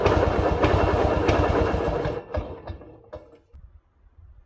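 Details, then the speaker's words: 1940s Simar two-wheel tractor rototiller, single-cylinder engine after restoration: even, steady thumping for two seconds, then shut off and coasting to a stop; starts easily and runs smoothly, though owner hears a possible main bearing noise. "Everything seems to work just fine. Starts very easy, engine runs very smooth, lots of power, I think. Runs good."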